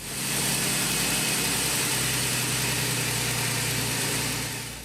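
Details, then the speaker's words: 2007 GMC truck, 4.3 engine, noisy power steering pump, idling after flush while bleeding and steering lock to lock: loud rushing hiss and steady pump hum; air bubbles in power steering fluid being purged. "you see the bubbles in the parasitic fluid that's the air we're trying to get out"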